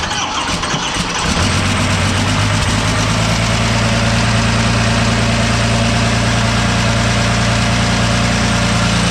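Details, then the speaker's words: Cummins diesel swap in monster truck, start after fuel turned on; cranks briefly, catches and settles into a steady loud clattery idle about three beats per second; oil blowing through and possible injector leak noted afterward. "i hope this works so just hang out here for a minute while i turn the fuel on and we're gonna fire it up all right let's see what happens"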